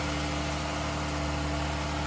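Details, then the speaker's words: 2011 Dodge Durango 3.6 Pentastar after repair of a ruptured oil cooler/filter housing that caused overheating, oil showing no milkiness, before a block test: a smooth, even idle with a constant low hum and no ticking or knocking; normal idle. "the engine sounds good so let's see what the blockchain says"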